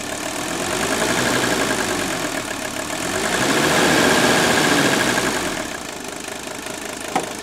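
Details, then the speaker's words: Mercedes 300D diesel after a dual-tank conversion, now running on straight vegetable oil: steady diesel clatter, quieter than on diesel, swells smoothly as the revs come off idle and settle back. The engine is running normally and healthily. "Listen how quiet that engine's running now. Now, we're going to check boost heat. Yeah, the heater is warming up. Isn't that a sweet sound? Listen that thing come off idle."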